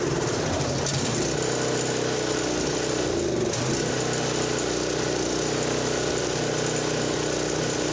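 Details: Toro 721 commercial Power Clear snow thrower, 7 hp, 21 inch, Toro-branded Honda-clone single-cylinder engine, choke on, unknown history: steady even beat with no misses, knocks or surging; normal running, bad spark plug blamed for no-start.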